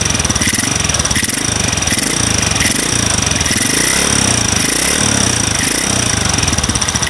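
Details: Single-cylinder motorcycle fitted with an RVN 53 mm cylinder block, racing camshaft and tappets, at idle: fine, light trik-trik ticking that stays even with tight valve clearance, milder than loose valves; source not pinned down.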